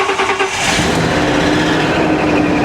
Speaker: Oh, she's a little noisy.